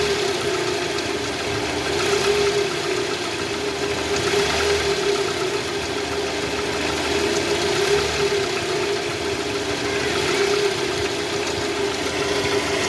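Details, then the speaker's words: Toyota Vellfire 2AZ-FE, 141,000 km, oil light on and flickering when revved: coarse, irregular grinding rattle at idle from the oil pan area, heard with a stethoscope; a failed balancer shaft gear, never serviced (factory pan sealant). "Nah jadi setelah tadi kita bisa menggunakan sound scop nih bunyinya jelas di area panci oli sini ada bunyi kasar guys"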